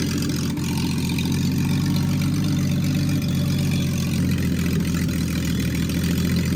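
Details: Rebuilt Triumph TR6 six-cylinder on its first start, warmed up with chokes off: held at about 2,500 rpm, a smooth, even fast idle with no ticking, knocking or misfire after a distributor tweak.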